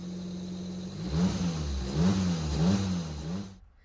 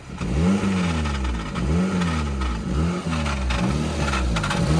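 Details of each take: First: Old-model Maruti WagonR after the gear oil was drained and checked for a gearbox grinding complaint. On the trial drive the engine revs smoothly with no whine, grind or clatter; the gearbox is now normal. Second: Old-model Maruti WagonR with a complaint of a "kara kara" noise from the gearbox on starting, heard inside the gearbox from the left side. A rough grinding rattle under the engine pulses about three times a second; the cause is low gear oil.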